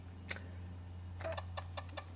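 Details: Zenith Z-NoteFlex NTB005 laptop hard drive during boot after a disk I/O error: faint, uneven clicks every few tenths of a second over a low hum, a failing drive. It later gives a data error reading drive C and fdisk cannot load.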